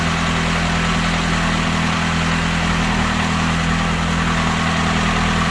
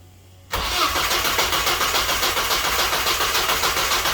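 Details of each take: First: Saturn S-Series with a rear-mount turbo, first start, PCV valve left off, fuel leaking at the injector/fuel rail joint: steady, even low idle with no knocks, misses or hunting; normal idle. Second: Saturn S-Series with rear-mount turbo, first start: engine catches and settles into a fast, hissy idle that never drops, running too high like a vacuum leak, with fuel smell from an untightened fuel line.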